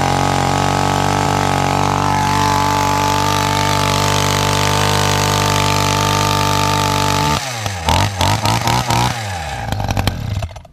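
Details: Hedge trimmer fitted with a new carburetor that didn't fit right: holds a high steady buzz, then stumbles into ragged, uneven bursts and dies; carburetor needs tuning and a loose bolt at the carb needs tightening.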